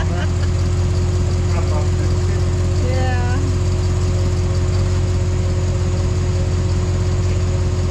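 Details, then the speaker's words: 2005 GMC Yukon V8 idling with new Flashark headers on a straight pipe with cats: fast, sharp ticking puff on each firing pulse from an exhaust leak at the header collector joint, where the donut and gasket seal is suspect. "Nice and quiet. Sounds like it. Yeah, she's leaking."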